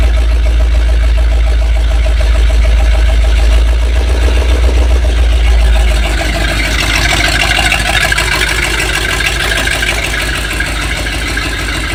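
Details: 7600 tractor diesel after repairs, cold: lumpy uneven idle around three pulses a second, one cylinder seemingly dropping out; rough idle, misfire suspected.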